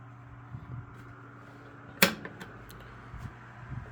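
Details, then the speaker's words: Lasko 3150A 12-inch three-speed oscillating table fan, circa 1980-81, used but well cared for, running on low. Very soft, steady low hum with only a stray click or two; quiet and smooth: normal running. "that you would expect from these Lasco oscillators from this time period very quiet low throwing out a pretty good"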